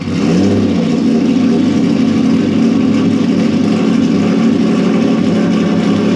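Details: Turbo Honda VTEC car out of storage, after replacing cracked leaking O-rings (vacuum leak) and refitting intake: fires and settles to a steady, even idle with a brief blip, no hiss or hunting.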